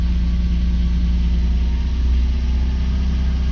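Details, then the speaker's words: Mercedes W140 that had died and then refused to start, with no start permission and lamps blinking on the mirror. After a replacement unit was fitted it started and runs a steady, even low idle with no misses or knocks. Normal idle. "поворачиваем ключ зажигания смотрим на лампочки но мотор запустился"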